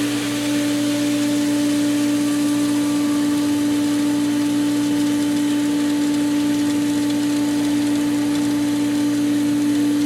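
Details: Pool pump after spring opening, both skimmers open and prime regained: steady hum, constant motor tone and even water rush with no surging or cavitation rattle, running normally.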